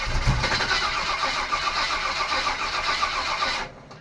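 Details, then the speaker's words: 1955 Willys wagon with a 350 engine, first start in a long time after wiring, gas poured into the carburetor: steady cranking at about four turns a second, a weak attempt to fire, then silence. Owner suspects a bad fuel pump or plugged line. "It's not picking up fuel. No, no. Still not picking up fuel, huh?"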